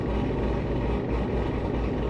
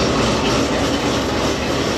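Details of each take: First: Cammed, supercharged Corvette Z06 with Corsa exhaust, after service-bulletin fix for exhaust valve rattle on passenger side, heard from inside cabin, coolant just above 100 degrees: steady low hum, constant pinging rattle with valves closed now gone. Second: Cammed, supercharged C7 Corvette Z06 with Corsa exhaust, warm idle, recorded at the rear; faint, uneven buzzy rattle over the exhaust drone from the passenger-side tip; absent when cold; exhaust valve actuator rattle, service bulletin fix planned.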